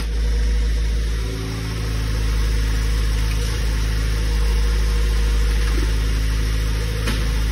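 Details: Tofaş with freshly rebuilt engine, in the workshop: deep steady idle with even firing and a couple of brief rev lifts; healthy.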